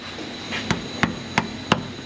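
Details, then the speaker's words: Toyota Highlander exhaust tapped after repair (loose heat shield repaired, rear muffler shield replaced, rubber hangers reinstalled): four sharp taps dying out cleanly, no buzz or tinny rattle; heat shield tight, no exhaust rattle. "no rattle no rattle [Music] no rattle very good guys and that's how you repair some exhaust rattles in a toyota highlander"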